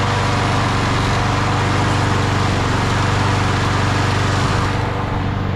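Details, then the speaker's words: 1999 Craftsman push mower (mulcher), Briggs & Stratton 6.0 hp Quantum, primer start, 25 years old and barely used, fired up on the bench for the first time in over 20 years: fast, steady, even single-cylinder beat with no misses or surging; running normally. "Let's lower it to the ground and fire it up. For the first time in 25 years."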